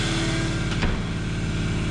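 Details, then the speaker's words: Large shop air compressor feeding a hose reel via Schedule 40 PVC, heard running in the open shop with room open: steady low throbbing pump beat with even hum, no knocks; running normally. "So let's go ahead and fire that up and listen to it. That's open and running."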